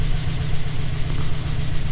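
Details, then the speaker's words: 2007 Chevy Silverado 1500 5.3 V8, first start after replacing the failed cylinder 4 lifter (P0304/P0300) with fresh oil filter: runs rough briefly, then settles into a deep, even idle with no ticking or knocking. "it's going to run like garbage for a second starting to smooth right out look at that"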